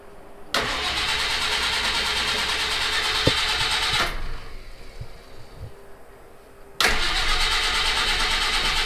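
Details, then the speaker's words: Citroen HY van with a no-start, after a new battery and cables. The starter cranks steadily at about three turns a second in two long bursts, but the engine never catches. "well boy it doesn't sound like it even wants to start let me put a little go fast juice in there see if that's the issue"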